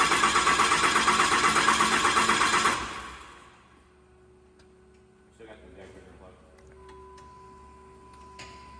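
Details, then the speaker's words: Freshly rebuilt 2008 Cummins diesel after major engine failure, new battery, cranked with injectors unhooked to prime oil pump before first start; fast even starter cranking for about three seconds, never firing, then stops. "so we got the injectors unhooked and we are cycling the engine to get the oil pump to to move some oil through the engine before we hook the injectors up and start this thing"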